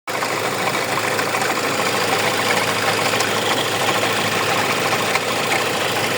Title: hyundai motordan ses geliyor şarj dinamo kasnağı arızalı